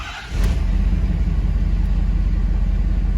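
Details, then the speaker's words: 6.7 Power Stroke diesel, after injector 4 replacement and repair of one bad harness wire (codes P0204, P1554; previously rough idle, misfire, smoking): brief crank then deep, steady idle with no stumble or miss; far better than before. "oh yeah yeah way better I mean this thing ran rough like you wouldn't even want to move this thing across the yard before"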